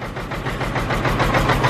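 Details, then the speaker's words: Caterpillar C15 diesel truck, scan tool shows four dead injectors with only cylinders 2 and 6 firing, run off a bucket with injector cleaner: uneven, lumpy idle with a stumbling low beat over wind noise; misfire from clogged injectors. "I got 4 dead injectors is what I got. Swapped injector number 1, number 2, because number 1 was, well, 1 was good, 2 was dead, swapped it, it moved. So now 2 and 6 is the only ones firing."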